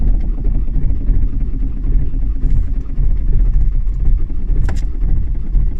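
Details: Toyota Avensis 2.0 D4D diesel, extreme cold start in Lithuania: a deep, uneven rumble that labours and surges for several seconds without settling into a clean idle; a very hard cold start.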